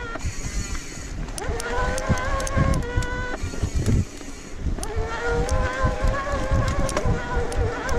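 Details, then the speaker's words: 2022 Specialized Turbo Levo S-Works e-MTB on a trail: loud, rough mid-drive motor whine rising and falling with pedaling; hub buzz and GoPro buckle clicks also heard; rider suspects it needs a new motor. "but listen to the motor when i pedal you see my knees start to move horrible"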